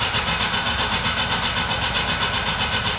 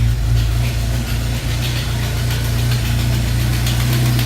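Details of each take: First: Jeep that won't start after stopping at a gas station, fuel pump not heard priming, relays swapped, check engine and shift lights on: starter churns evenly four turns a second with no firing; cranks but won't start; cause suspected, not confirmed. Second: Jeep that died at the gas station and wouldn't start, owner suspecting the fuel pump; ASD and fuel pump relays bypassed with jumper wires. Steady, even low rumble at idle with no misses or knocks; it starts and runs normally.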